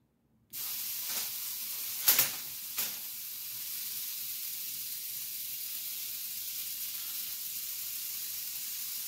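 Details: Ion lifter 2.4 high-voltage supply with miniaturized flybacks: constant steam-like high-pitched hiss with brief louder crackles, corona discharge at the eighth stage of the multiplier while running the six-stage output; dielectric grease applied to quiet it.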